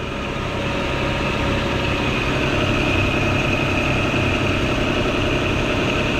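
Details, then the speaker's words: 1995 Nissan Pathfinder XE after timing belt, tensioner, water pump, thermostat, belts and plugs replacement: smooth, even idle with steady low rumble, no squeal or ticking; much smoother than the squealing before, running healthy. "wow it's actually running really well right now nice i'm liking this so far oh yeah it sounds it's sounding really nice it sounds so much smoother than before"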